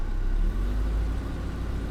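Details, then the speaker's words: 1990 Mercedes 560SEC, 29 years old, after new spark plugs: deep low rumble that sags, stumbles and nearly stalls on throttle tip-in before finally revving; idle smoother (dropped from 600 to about 450 rpm) but hesitation not fixed, cause not yet found. "and she stalls. She stalls, she stalls, she stalls, and then she revs. So we didn't fix the hesitation, but she idles so much more smoothly."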